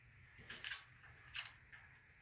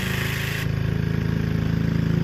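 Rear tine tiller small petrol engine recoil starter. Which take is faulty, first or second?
first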